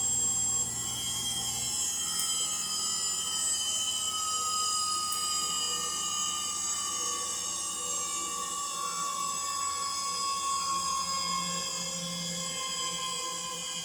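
Steady high-pitched whine and rough hiss held through the whole fast spin, no knocking; worn motor bearings singing under load.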